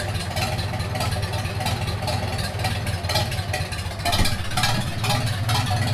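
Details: 1942 Farmall H tractor, hand-crank started in the garage after transmission teardown and repair of a scraping/screeching noise and hard reverse shifting, carburetor not yet adjusted: four-cylinder idling with steady low thump and a few light revs, no knocks or misses; normal running.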